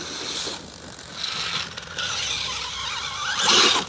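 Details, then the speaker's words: Axial Ryft RC crawler with 2.6" beadlocks, first drive after a teardown for busted pinion gear bearings and rust: high, buzzy ratcheting and gear chatter swelling and fading while driving; something in the driveline slipping or skipping. "felt like i got something not right already oh well let's see what breaks"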